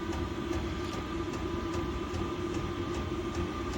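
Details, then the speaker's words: Diesel heater newly fitted in a shed, being turned up; crisp even fuel-pump ticks two to three per second over steady fan hum, pump running faster; normal. "now the pump you near starts running faster it'll start getting hotter and blowing harder"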